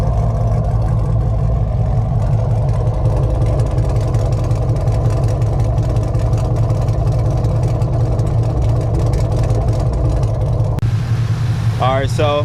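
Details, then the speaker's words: 2011 Camaro SS, 6.2 LS3 V8, with long-tube headers, muffler delete, intake and dyno tune, recorded on a GoPro. Deep, loud, steady idle burble with an even pulse and no ticks; no exhaust leaks, everything snug. "so this is what it sounds like like I said I have no exhaust leaks make sure everything was snug snug tight"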